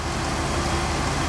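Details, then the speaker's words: LS4 Impala SS V8 after plugs, wires and valve cover gaskets: steady even low rumble with no stumbles, warmed up; earlier cold-start misfire cleared as temperature rose; idles smooth. "look at that engine he could balance a nickel on that engine man quiet as a mouse"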